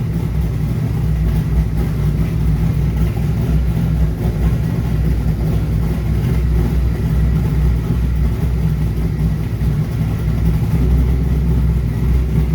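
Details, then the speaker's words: Airboat V8 with newly wired Holley Sniper EFI during tuning, reading slightly lean, both temperatures at 183: low, steady burble with no misses or stumbles, even and settled; normal idle. "it doesn't it doesn't get super hot i mean they're both at 183 uh and it runs good"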